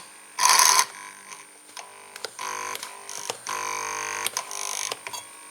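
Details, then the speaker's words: Model train locomotive on the EMS system, just switched on: a high, steady electronic whine with buzzing, present before the motor turns. This is EMS drive noise that a filter in the locomotive might reduce. "Ich schalte das mal an und man hört dieses Brummen. Und bevor der Motor hier läuft, man hört das."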